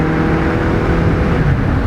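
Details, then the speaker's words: 1999 Honda Accord, 320,000 miles, original engine and transmission, cruising: even engine hum under road and tyre noise, no knocks or misses, shifts good; wheel bearings slightly noisy, engine running smoothly. "That engine, listen to it. Shift's good. It's a Honda."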